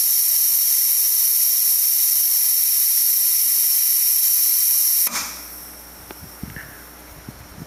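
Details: DeWalt D55146 air compressor after shutoff near 200 PSI: steady loud hiss of air for about five seconds, then abrupt cutoff; failed check valve lets air bleed back, dropping pressure toward 140-160 PSI. Before replacement.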